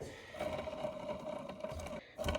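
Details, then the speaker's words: Blown 2017 RMK Pro two-stroke engine on the bench during teardown: crank turned slowly by hand gives gritty, uneven grinding with a thin ringing note; rough, damaged crankshaft main bearing. "this sound is worse to me than the sound of fingernails on the chalkboard that is not cool"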